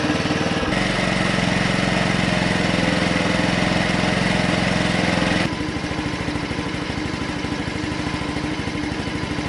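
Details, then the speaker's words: Honda C90 Cub project bike after carburetor rebuild with all rubber seals replaced, no longer leaking: small single putters at an even, steady idle, note dropping slightly partway through; runs smooth, normal idle. "So I've redid the carburetor, replaced all the rubber seals, that's all done now, it's not leaking, runs fine."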